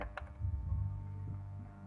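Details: HotRock powered speaker with constant hum: unchanging low drone, mains hum leaking from the amplifier's power supply into the speaker; no voltage at the speaker output.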